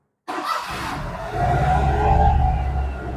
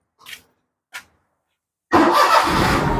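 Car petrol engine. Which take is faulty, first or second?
first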